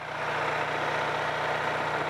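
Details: Repaired Onan 4.0 generator with its own gas tank, fuel shutoff, filter, air filter and a good muffler: a steady, even drone with a smooth low beat and no knocks or misses; runs healthy.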